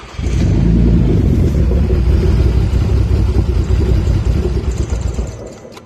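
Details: Audi A4 B7 3.2 starting with a quick flare, then a lumpy idle with an uneven pulse around four per second before fading; rough start and rough idle, cause unclear.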